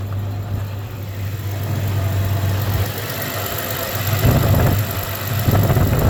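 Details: 1993 Ford Ranger 3.0 V6 at idle: uneven, lumpy idle with irregular stumble in the low thump; one cylinder dropping out, misfiring cylinder being searched for.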